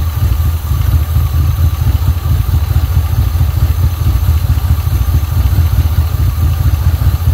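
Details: 1980 Pontiac Trans Am Turbo 301 V8 idling after its first start in about 18 years, running on fuel fed to the carburetor: a deep, steady, even rumble with no knocks or ticks. Clean, healthy, normal idle.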